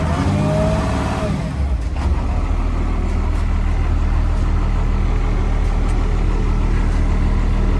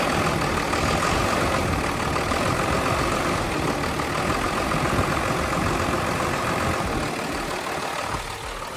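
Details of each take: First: Unit 8914, started for a listen before shutdown: a deep steady idle with an even beat and no knocks or misses. It sounds good. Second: 1979 Ford F700 petrol dump truck idling with a steady, slightly uneven, lazy loping low rumble; it is running rich.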